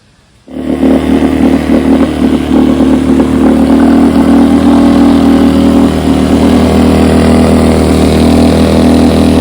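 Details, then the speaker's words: Rebuilt carburetor for a 1972 Evinrude 9.5 HP outboard fitted to a test motor, test run outside; catches right away, steady even two-stroke drone with no stumbling or misses; normal running. "I got Jeff's carburetor put on my test motor, and I'm about to give her a crank up run here."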